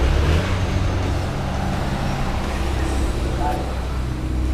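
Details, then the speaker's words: Easyride 150N GY6 scooter with D-type carb after auto enricher (auto choke) removal for hard starting and heavy fuel use: starts on one kick and gives a steady, smooth, quiet idle without misses or knocks. Normal idle, no fuel smell. "umandar agad one kick lang one kick lang umandar na siya tapos ang lamig ng andar ni hindi masyadong maingay"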